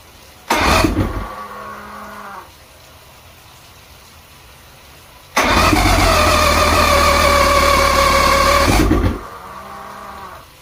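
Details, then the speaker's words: Outboard: it fires, dies, then catches and runs briefly with an uneven note and a thin chirp on top; rough idle, cause unknown. "got it idling. I still have a chirp, which is driving me nuts."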